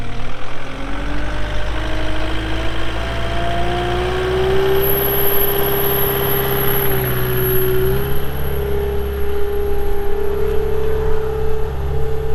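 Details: 2021 Caterpillar 259D3 skid steer, 2,730 hours, during operation: steady diesel drone with a smooth hydraulic whine rising then holding even, no knocks or grinding; engine and hydraulics running normally.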